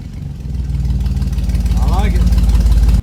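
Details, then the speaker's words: 1953 Willys Jeep CJ3B with new 12-inch Cherry Bomb mufflers and turn-down tips replacing the old exhaust; deep throaty pulses climbing steadily under throttle, firing even and strong, then cut off abruptly; healthy revving. "That sounds a lot better, a lot meaner. I'm really impressed at how this little gauntlet sounds with an open exhaust system like that. It sounds pretty mean."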